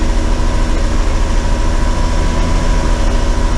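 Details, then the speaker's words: Cummins 6BT in a bus at steady throttle with a deep, lumpy, uneven rumble from two cylinders misfiring and heavy smoke; it struggles to start and lacks power after a lift pump problem; owner suspects air in the fuel system plus two faulty injectors. "hear that misfire? And we won't talk about that. Them 2 cylinders are really poorly."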